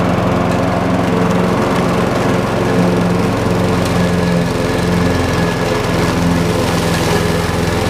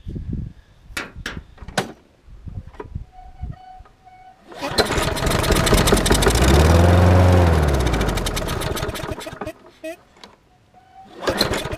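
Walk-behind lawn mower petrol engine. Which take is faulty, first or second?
second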